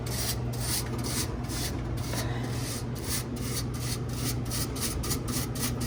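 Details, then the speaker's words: 100-pound ice machine going through a harvest cycle: a steady hum under a fast rhythmic scraping squeak, several times a second, from the condenser fan area. The technician suspects loose metal wiggling there rather than the fan motor itself; this is not confirmed. "I don't think it's the actual fan motor I think it's something in the metal over here wiggling wiggle waggle maybe yeah kind of flat like almost like a family noise"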